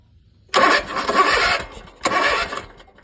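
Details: Zero-turn mower with 12 V at the battery, spark present and clogged air filter; fuel in the intake still wouldn't fire, and the carburetor bowl gaskets are failing. Two roughly one-second cranking bursts never catch: crank, no start.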